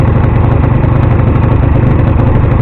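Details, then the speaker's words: GSXR 50cc, first start, cold and still on choke after second kick: chugs with a steady string of loud low thumps, "bang, bang, bang"; cause of the banging unclear. "Sounds like a bang, bang, bang, bang, bang, bang."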